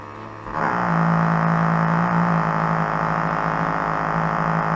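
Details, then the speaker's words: 1934 Philco Model 45 tube radio at first power-up before restoration: steady low hum with wavering, changing tones; owner suspects failing original paper capacitors, to be replaced. "so with all those paper caps in there it's no wonder it sounds like crap I'm sure one of these is causing that"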